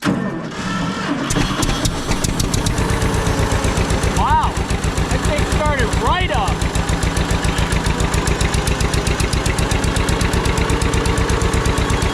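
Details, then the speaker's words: John Deere 630 tractor found in a barn, first start on gas from a nurse tank at half throttle with a little choke: chugs at a steady idle with good oil pressure, and a constant buzz from the electric fuel pump rides on top. "I also want to turn this pump off. That's that buzzing noise."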